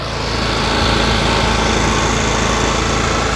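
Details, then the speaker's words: Honda EU7000is generator, previously starting then stalling, run indoors after repair: steady, even hum at constant pitch with no surging, missing or knocking; normal running. "really good actually very healthy let's see if we got power"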